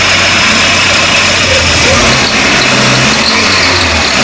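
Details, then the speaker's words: VW AP 1.8 petrol engine with a recently rebuilt cylinder head: a faint, high chirp ("cricket") over the running engine when accelerating, traced to a worn water pump bearing below, which will be replaced. "D um grilo quando acelera provavelmente 90% é a bomba d'água ali embaixo tá"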